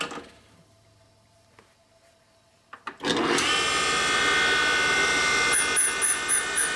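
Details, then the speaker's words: 1979 Harley Shovelhead 80ci rebuild: steady high grinding whine with a louder rhythmic chunk each pass as a high spot on the valve face catches the stone while refacing; recurring in the same spot, so likely the valve. "Thought I was closer than that. Obviously, you can hear the high spot. Yeah, that was pretty loud."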